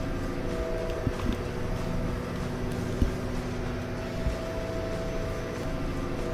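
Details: Nordhavn 63 main diesel heard in the engine room underway, with hearing protection worn: deep, steady drone with even tones and no knocks or rattles; no leaks or loose fittings found, all normal.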